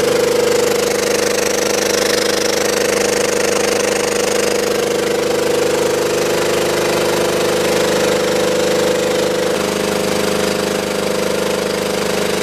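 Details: Belt-driven air compressor on a scrap-saved single-phase motor at 240 V, after the crossed capacitor wiring (start cap fitted in place of run cap) was fixed. Even, steady pump thrum with no knocks or dropouts as it settles in; current draw falls as compressor oil warms.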